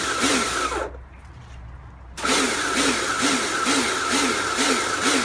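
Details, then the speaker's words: Kärcher pressure washer rebuilt from a B202 and a K2 14 (frost damage, motor failure), first test with water on: after a brief drop-out the pump surges again in regular pulses a bit over twice a second; cycling on and off, source unknown. "so as cleaning goes it seems to work fine i'm not entirely sure what uh that pulsing noise is from"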